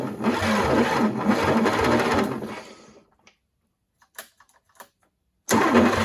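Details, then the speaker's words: 1940s GMC 270 six, rusty with water damage, first start in 20+ years, chainsaw-mix fuel: steady cranking with odd uneven exhaust puffs, compression felt, but won't fire; timing possibly 180° off, suspected not confirmed; starter getting warm. "well it sounds like she's hitting i can hear exhaust puffing out a little bit and i feel compression over the carburetor when i was trying to choke it by hand there"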